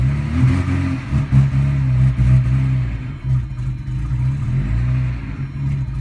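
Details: 1999 Audi A4 Quattro petrol engine with rough idle: now runs but revs unevenly, note dipping and stumbling and hesitating hard instead of rising cleanly when throttle is applied.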